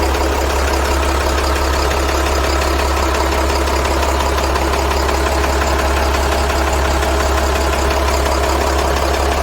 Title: CAT 3116, tapping/clunking noise, any suggestions?